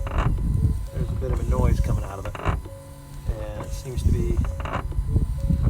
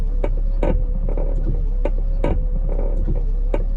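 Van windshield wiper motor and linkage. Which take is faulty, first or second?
first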